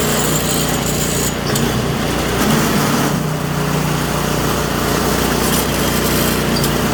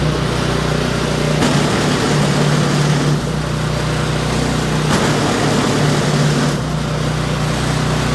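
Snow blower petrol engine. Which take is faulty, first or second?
first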